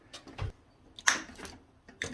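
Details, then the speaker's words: Square D QO DC-rated breaker test with a stick welder at 5 A continuous, switched via a light switch: quiet clicks with one sharp crackly snap as the switch opens under load, a DC arc pop at the contacts. "Ooh, yeah. It didn't like that. I heard a pop."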